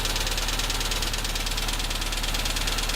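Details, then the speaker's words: Tavria, MeMZ-245 engine ~800 km after rebuild with Avtramat pistons, knocking at all loads after hard acceleration: steady idle with sharp regular light knock, louder with cylinder 4 cut; suspected loose piston pin in cylinder 4 bosses. "Отключение 4-го цилиндра. Стук усилился. Выхлоп нормальный, тяга нормальная, двигатель работает ровно. Предположение на поршневой палец 4-го цилиндра."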